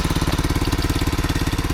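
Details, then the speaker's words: $40 used ATV idling after test ride, with new wiring harness; quick, even, steady idle thump, but visible smoke; owner suspects the head gasket may need replacing, unconfirmed. "A little smoke there. I think that's probably um maybe I got to replace the head gasket, but you always find those cheap parts on Amazon."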